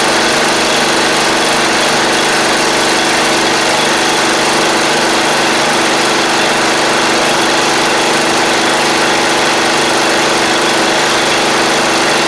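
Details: 7-year-old MTD Murray riding mower after repairs, with some rust in the fuel system: small single-cylinder engine holds a steady, even buzz with good fuel flow and no hunting or misses.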